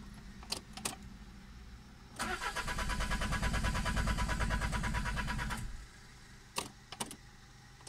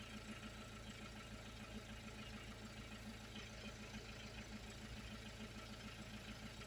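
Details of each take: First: 2001 Peugeot 306 2.0 HDI diesel with no check engine light and unreadable codes: starter spins the engine evenly for about three seconds, then a short second crank, and it never catches. Crank no-start from a faulty ECU, not mechanical. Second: 2001 Peugeot 306 2.0 HDI diesel, running after the no-start was fixed by replacing the ECU and having it reprogrammed to the car. Quiet, even diesel idle with a steady, regular beat and no misses or knocks. Normal idle.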